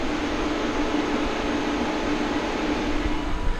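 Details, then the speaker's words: Mitsubishi Outlander PHEV at 36°C outside, climate control off: steady airy whoosh with soft constant hum, no speed changes or rattles, from the battery cooling fan; normal operation. "That's the battery cooling fan. Climate control is turned off. You can still hear the fan."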